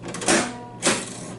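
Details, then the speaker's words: 1920s International Time Recorder punch clock: pulling the lever should ring a bell, but only two dull mechanical clunks are heard as the lever goes down and returns, with no ring; the bell hammer isn't striking. "When I do that, a bell is supposed to ring. Did you hear that no bell rang?"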